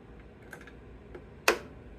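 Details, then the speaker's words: Everride Yellow Jacket mower, Kohler 23 hp, 843 hours, clicks but won't start, safeties good; new solenoid with starter cable disconnected, weak battery: one crisp single click as the key turns, full voltage through; normal starter solenoid click. "It's sending full voltage through the solenoid. You can hear the solenoid click, listen to it."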